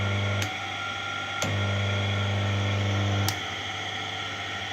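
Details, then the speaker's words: Electric motor wired to run off two phases and generate a third, about 410–415 V across pins; steady low hum with a thin whine shifting as phases are switched; motor spins up smoothly and keeps running even with one phase removed. "I got the motor started and I kicked off one face and the motor seem to still run that's funny"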